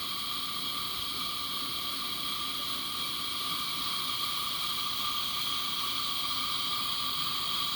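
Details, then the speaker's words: Coleman 502 camp stove after restoration (parts cleaned in vinegar, check valve reinstalled, generator preheated with carb cleaner): even, steady hissing roar with no sputter or pulsing, pretty blue flame; burner running clean and healthy. "oh yeah she's running pretty"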